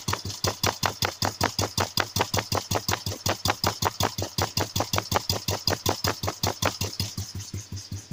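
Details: Royal Enfield 350 cast iron single idling with sharp, hard, evenly spaced metallic knocks about five per second; owner suspects piston knock; knocking at idle.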